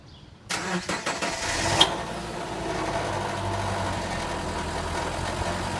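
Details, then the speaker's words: 2010 Subaru Forester starting and idling: burst of tinny metallic rattling from a loose catalytic converter heat shield under the front of the car; removing the shield cured the rattle. "okay so now we're under the car and we're looking at the catalytic converter heat shield which is causing the Rattle and this is underneath the front end of the vehicle"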